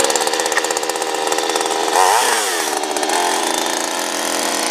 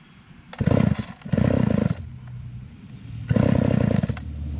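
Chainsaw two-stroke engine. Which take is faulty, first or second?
second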